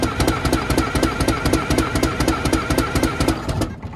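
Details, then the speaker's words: 6V92 Detroit Diesel bus engine with a history of cold-start trouble, being checked for rack and valve adjustment: cold cranking at about four beats a second with scattered weak firings, only one or two cylinders lighting. "My experience has been, it's probably gonna... We're at least going to get 2 more cylinders. Or I feel like we're at least getting 1 or 2 right now."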